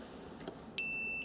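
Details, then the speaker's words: Multimeter set to continuity while testing a fuel pump relay: a short high-pitched electronic beep sounds when the probes meet, normal continuity alert. "on the multimeter you want the setting for continuity okay that looks like a Wi-Fi hotspot just make sure you're on the right setting and you should hear an audible alert"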